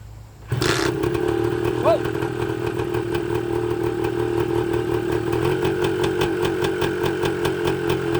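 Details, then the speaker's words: 1980 Suzuki TS125 two-stroke, carburetor ultrasonically cleaned, tank flushed, fresh fuel: starts on one kick with choke on and settles into a fast, crisp, even idle with no misfire or knocking; normal cold start and idle. "do one kick that's what it took"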